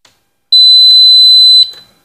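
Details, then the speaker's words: Continuity tester on switchboard (SDB) house wiring: single steady high-pitched buzz of about a second, clean and unbroken; the wire circuit is continuous and good. "এখন colouring, যেহেতু কারেন্টটা আমার check করতে হইব। এই যে শব্দ হয়েছে।"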